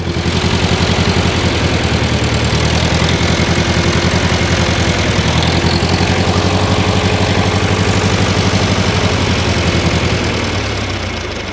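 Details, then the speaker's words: 1968 John Deere 500A diesel tractor (industrial 3020), parked over 10 years: uneven loping weak chug, no power, sags and dies; rough running and stalling, diesel dripping from injectors, owner suspects brittle rubber injector boots. "just acting like it doesn't have any power"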